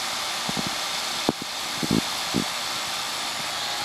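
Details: AC condenser, capillary tube mismatched system with restricted return air, previously tripping its breaker; adjusted to 25.3: steady fan whoosh over even hum with a few light clicks; normal compressor running.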